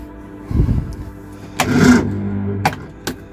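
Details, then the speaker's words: Early-2000s Reliant Supervan on jump starter in start mode; starter turns the engine over very slowly in laboured bursts, owner suspects the totally dead battery is drawing too much power; slow cranking. "turns over but very slowly I wonder if that battery's drawing too much power"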